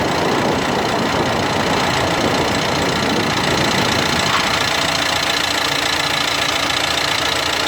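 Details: 2016 Dacia Duster dCi 4WD diesel, brand new: steady rough grinding rasp when accelerating from 1500 to 1800 rpm in 5th or 6th gear; unresolved after two dealer visits, owner suspects faulty drive shaft.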